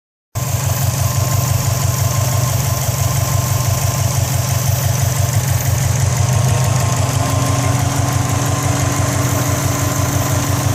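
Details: 2004 Subaru WRX at steady idle: light, uneven rattle over the engine hum from the turbo area, where faint smoke also comes from; cause unknown.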